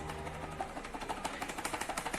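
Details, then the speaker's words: Lander ABS motorcycle: quick light plastic clicks, about six a second, as the loose fork guard is shaken by hand. The play rattles on cobblestones or rough roads; the other side, once fixed firmly, is silent. "Esse barulhozinho aqui, ó. Essa folga que ele tem, que quando você anda numa rua com paralelepípedo ou uma rua com muita trepidação, esse barulhozinho aqui, ó,"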